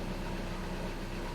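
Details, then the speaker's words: 2013 VW Jetta TDI manual, engine idling in neutral: releasing the clutch pedal brings a loud, rough, gritty grinding from under the hood, caused by a defective throw-out bearing; a clutch kit and flywheel replacement follows. "so when i let off there's a grinding noise coming from under the hood"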